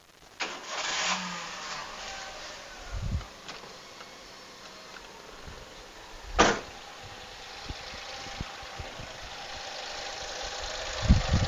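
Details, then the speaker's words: 2004 Daihatsu Xenia Li, first start: a few sharp clunks, then a low, slightly uneven, rough idle that is rougher than the 1300 version. Normal from the factory for this type; a normal idle. "Nah, suara ini agak lebih kasar. Bukan hanya mobil ini saja, memang seperti itu dari pabriknya, teman-teman. Agak kasar."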